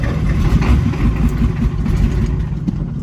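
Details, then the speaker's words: 1987 Ford F-350 diesel, sat 8 months, battery charged about an hour (about 9 volts), no ether yet. Rough, uneven low chugging while cranking, a few weak firings that never pick up: cranks but doesn't start. "That was close. No ether. Come on."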